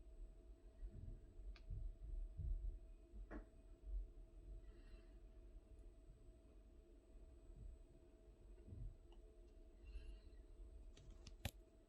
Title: Knocking sound on Worcester Boiler